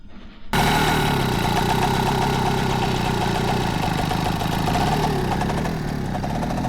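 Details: Peugeot 102 two-stroke moped after clutch reassembly: catches after a brief crank and settles into a steady, even idle with no knocking or rattling; normal start and idle.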